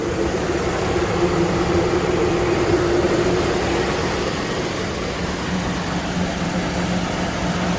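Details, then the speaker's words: Car with a dead battery, running on a jump start; a shop claimed a bad engine knock, oil found slightly low and topped up: even, steady idle, smooth low drone, no ticking or knocking; engine sounds really good. "Knocking where? Where is it knocking? This engine sounds really good."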